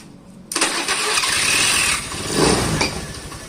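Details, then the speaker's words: Motorcycle after starter repair (part oiled rather than replaced) with the faulty brake switch bypassed: short, clean starter whir, then the engine catches at once and settles toward idle with no grinding; normal electric start. "Bisa ya guys, bisa di starter lagi."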